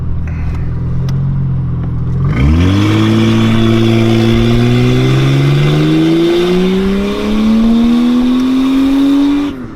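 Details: Toyota Soarer with 1JZ twin turbos at about 13,000 miles, brake-boosted while held on the brake: pitch climbs steadily with a rising turbo whistle but it never pulls hard or puts power down. The turbos spool without building boost.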